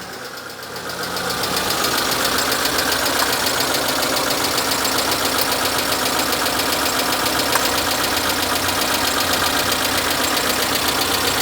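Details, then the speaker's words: Proton Satria 1.5 petrol engine idling with a lumpy, uneven beat from one dead cylinder. The misfire moves to cylinder four when injectors are swapped, so a faulty injector is found. Cylinder 1 also showed low compression and oil in the bore. "Oh, the misfire's moved to cylinder four now. The first time something stupid like that's happened."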